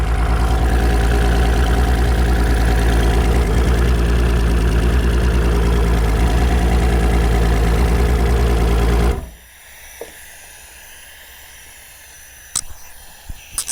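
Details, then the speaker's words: Mercury Optimax outboard idling with the air regulation hose pinched: steady even idle then cuts out; air pressure barely moves instead of jumping above 100 psi, due to a massive leak at the air regulator, causing fuel starvation. "Ah, pitched it all the way off. It didn't barely moved. Right. That's because of that massive air leak."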